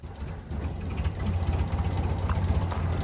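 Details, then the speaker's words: Abandoned 1970 BMW 2002 first run in 10+ years, running on ether and needing choke; faint smoke, slow uneven lumpy idle right at the edge of stalling; very low idle speed. "it's so faint it's just like yeah really low RPM oh yeah there's a little bit of idle speed there bud"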